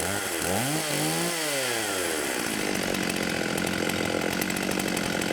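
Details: 1989 Husqvarna 50 chainsaw, sat years with old gas, after carb clean: two-stroke buzz sweeps up and down with throttle blips, then settles to a steady, clean, even run; healthy.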